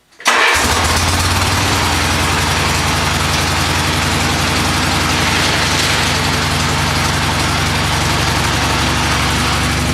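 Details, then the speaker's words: Mule after Peerless 930 transaxle repair for grinding in all gears including reverse: engine settles into a steady, even idle with no driveline grinding or whine; quiet and working. "just took it for a quick run blow the mud off the tires and uh you know steam the crap off the mufflers and whatnot and everything seems to be good it's quiet does what it's supposed to do now"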